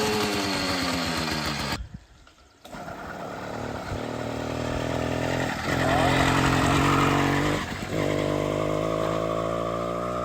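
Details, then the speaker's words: Motorized bicycle with 66cc two-stroke engine, started after sitting three years: raspy chainsaw-like buzz rising and falling with throttle blips, firing steadily without misses; running normally. "Oh yeah. Sounds like a chainsaw."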